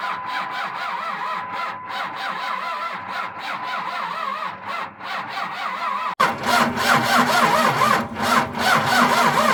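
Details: $1200 pickup engine after 5 quarts of water drained from the oil, block likely junk; starter churns steadily about three and a half turns per second for several seconds, never fires; extended cranking, no start.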